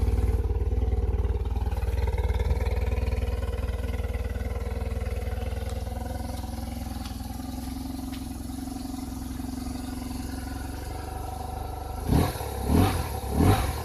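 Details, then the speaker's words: BMW R 1100 RT boxer twin started cold on choke: starts easily, even low steady beat at slightly raised cold idle, no knocks or ticks. Normal cold idle. "Заводится как часы. Холодно еще."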